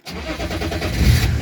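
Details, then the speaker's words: BMW E36 2.5 TDS diesel, engine hot, restarted immediately; owner notes pump no longer triggers when hot despite reconnected wire: cranks and fires into rough, climbing rumble slow to settle; hard hot start, cause unconfirmed. "non c'est bizarre c'est bizarre c'est bizarre elle va galérer on entend un petit peu"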